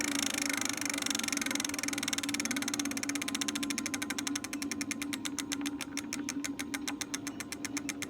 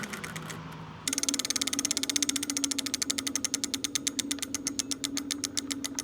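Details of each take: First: Lectric XP 4.0 folding eBike lifted off ground, rear hub motor keeps humming with fast clicking pulses long after light throttle release, linked to E08 error after replugging; controller/throttle fault suspected; hub motor keeps running after throttle release. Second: Lectric XP 4.0 (750 W) eBike rear hub motor after part replacement, motor reconnected, checking for earlier motor hum: rapid, even ratchet clicks slowing as the wheel coasts, no hum; normal freewheel.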